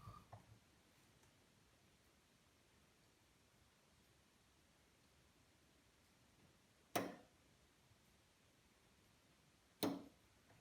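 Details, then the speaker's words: Newly installed bottle-gas hob, two burners turned off: two distinct single clicks seconds apart as thermocouple fail-safe valves cut the gas when flame heat stops; normal flame failure valve operation, clicks should be heard. "Those are the fail-safes going out, so that if the gas was left on and there was a leak, because there's no heat coming to the thermocouples anymore, cuts off the supply of the gas. And that's what those clicks are, and you need to hear them."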